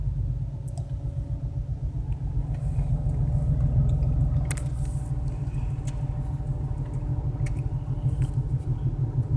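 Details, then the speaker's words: BMW 335i cold start the morning after spirited driving, with startup screeching, heavy smoke and high fuel use: lumpy, uneven idle with a stumbling low rumble; misfire traced to cylinder six, error codes cleared. "but it's still definitely cylinder sex that's causing the problem"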